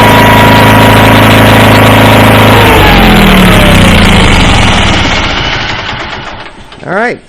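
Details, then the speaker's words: Approx. 1976 Sears GT18 tractor, Onan 18 HP, after carburetor cleaning and fuel pump rebuild, choke off, after about a minute of running. A steady, even low drone, then a smooth wind-down at shutoff, normal running. "so it sure sounded good I fired it up I had choke on now it's choke has been off it's it ran you just heard it run just that long 1 minute"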